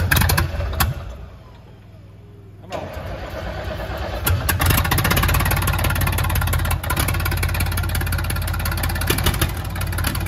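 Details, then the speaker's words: Old cabover truck diesel, first start in 27 years with replacement engine: cranks, catches after brief pause, settles into steady low idle with about 80 psi oil pressure; normal start and idle. "Dude, that freaking just rumbles your chest when you drive it up."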